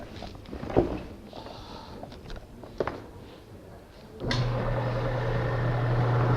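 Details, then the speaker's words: Automobile air conditioner compressor used as shop vacuum pump for woodworking clamps: motor switches on to a steady even low hum after handling noise; running normally. "This here is your basic automobile air conditioner compressor. You don't need a lot of vacuum for clamping."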